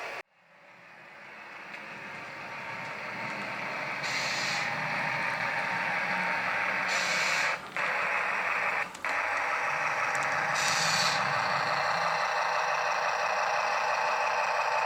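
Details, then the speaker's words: Brand-new model locomotive with uncleaned wheels covered in grease, grime and dirt: steady running sound cuts out to silence briefly several times as the filthy wheels lose track contact, intermittent power dropout. "You can hear it back there. It's cutting out, cutting out, cutting out. And that's because the wheels on the locomotive are filthy."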